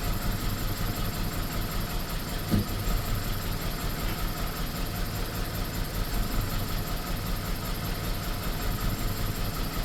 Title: bmw e46 318 rough idle and misfires.